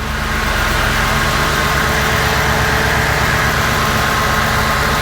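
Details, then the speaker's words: Audi S4 B7 V8 at idle on first start in 15 months after rebuild and external oil cooler install, kept brief to check oil: deep, even burble, no knocks or ticks; engine running cleanly and smoothly. "Smooth as hell. Okay, let's shut her down."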